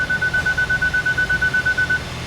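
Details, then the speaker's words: Flood-damaged Kia Ceed GT-Line 1.5 petrol turbo, just started after repair: steady low even idle under a rapid repeating dash chime, no misses or knocks, no warning light, very quiet; normal idle. "up there's not even a warning light on and she's running it's running really well actually sounds good oh she sounds really quiet"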